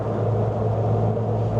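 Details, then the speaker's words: Sunny truck with a rebuilt A15 engine swapped in for the A12, lowered, new spigot bush and gearbox bearings, while cruising: a steady low driveline drone. The owner suspects the diff angle after lowering or a worn uni joint, unconfirmed. "So it's still got that noise, too. That that you hear that? So the weird thing is maybe it's the angle of the diff"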